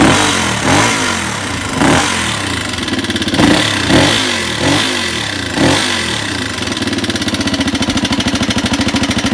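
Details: 1985 Honda XR200R four-valve single-cylinder engine, blipped then idling: steady sharp tick in time with engine; rocker arms and camshaft found pitted and wavy, presumably from lack of oil; engine also smokes, needs rings.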